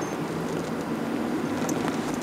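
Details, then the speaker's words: Toyota Prius 2 hybrid driving on electric power alone, engine off: quiet steady road hush with slight rolling noise from winter tyres, no engine beat. "alors là on est en mode électrique avec la Prius depuis qu'on est parti on entend pas le moteur"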